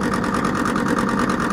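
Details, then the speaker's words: Air conditioner compressor overloading, drawing 4.6 A at 50 PSI against a 4.3 A maximum: harsh rattly hum with fast uneven chatter over the drone; noisy compressor from low oil. "nah ini kita harus menambah oli teman-teman ini adalah ciri-ciri kompresor yang kekurangan oli"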